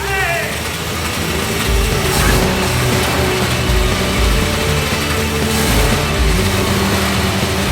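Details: Ford XB Falcon (MFP interceptor replica) on first start after sitting non-running, fuel now reaching filter: rough loud running with heavy clatter like a nut flung around the water pump; direct camshaft-crankshaft gear drive instead of chain, apparently normal.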